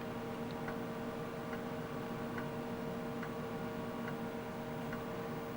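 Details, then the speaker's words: Tandy 10 MB Disk Cartridge System (re-labeled Iomega Bernoulli Box) on a TRS-80 Model 16B during the diagnostic read test across 306 tracks: soft even head ticks about every 0.85 s over steady fan hum; normal seeking. "now we've moved on to the read test and so now we're reading each of the tracks and I'm going to see if you can hear the sound of the"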